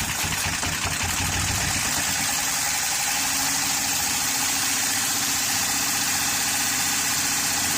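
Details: 2013 Honda Pilot J35 V6 after the timing belt slipped, valves likely bent: uneven, stumbling idle with a hissy, thin note and little low-end thump, running as if without compression; owner suspects flooded cylinders may be part of it.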